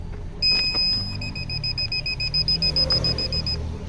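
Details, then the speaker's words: Car 12V reverse parking sensor system after replacing faulty buzzer speaker, engine running, in reverse: steady rapid clear high beeps, three or four a second, over quiet engine hum; all sensors work, previously silent. "ये देखिए reverse में है, और अब ये sensor है। ये देखिए सारे सेंसर काम कर रहे हैं बहुत अच्छे। पहले ये नहीं आती थी क्योंकि वो स्पीकर ख़राब हो गया था उसका।"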